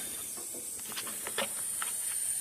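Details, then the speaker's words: Faint steady high hiss with light ticks from a parked car's AC line near the front; bottom hose looks wetter than surroundings, suggesting an AC system leak, not confirmed. "as I was walking past the front of the car I heard something that sounded like it was hissing at me so I went to investigate that"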